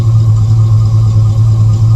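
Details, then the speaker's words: Chevrolet Avalanche V8 recorded at the rear tailpipe: deep steady idle drone, no misses, ticks or rattles; healthy throaty exhaust. "and so here one in the back so you can hear it that's how it sounds nice deep throaty sound"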